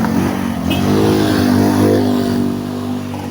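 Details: Toyota Vios dual VVT-i that had hard starting, low power and stalling while driving, now on a post-repair road test: the engine note climbs smoothly and evenly under throttle with no stumble, miss or hesitation. It pulls cleanly.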